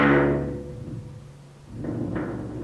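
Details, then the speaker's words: Barn find 1967 Chevy C10 Stepside driver's door: decaying knock then two short rubbing contacts as the top of the door catches the fender; previously fixed door catching again, fender worn from contact. "And then the top. Well, we can't have that. We gotta get rid of that noise."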